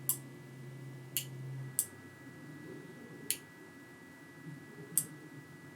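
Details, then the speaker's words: Royal Enfield Interceptor 650 mechanical starter relay bench-tested with a 12 V battery on its primary circuit: six crisp clicks as power is connected and disconnected, armature switching normally; relay also passes multimeter continuity test. "you'll hear the switch actually opening and closing inside the units so there's a little Armature that's springing open and closed and you'll be able to hear that clicking away as you connect and disconnect the battery"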